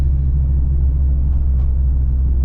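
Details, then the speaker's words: After replacing the front wheel bearings, driving on the road: only an even low road rumble with no wailing or growl rising with speed; front-end noise gone, though the car now pulls left. "all right i am confident in saying that was the noise in the front wheel bearings noise is gone no more"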